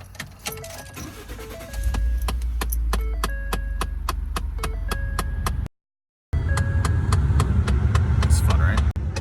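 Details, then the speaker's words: 2011 Ford F-150 Lariat, bought used: loud steady clicking from the dash, about three a second, over idle and fan hum; suspected faulty blend door actuator behind radio. "I turned on my truck one morning and heard a loud clicking noise, like a elf trying to get out of my dash with a hammer."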